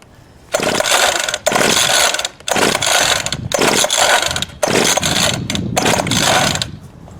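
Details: Craftsman 19-inch 25cc two-stroke gas hedge trimmer with brittle, bad fuel lines and gas of unknown age; it ran briefly and bogged down. Several rough, scraping recoil pulls of about a second each, and the engine never catches: it fails to restart.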